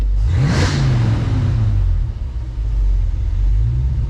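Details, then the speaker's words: 1966 Mustang with Holley Sniper EFI during first tuning: a quick rev falls back, then the idle sags and wavers before recovering as the IAC opens wide and AFR goes high; stumble after throttle lift-off, IAC suspected. "you hear it struggle and it struggled that's when the iak went wide open"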